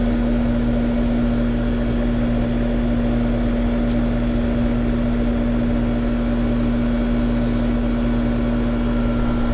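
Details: Trane outdoor condenser on R22 after condenser fan motor replacement, running during subcooling charge: steady, even fan whoosh over constant compressor hum, no knocks, rubs or wobble; normal condenser fan running.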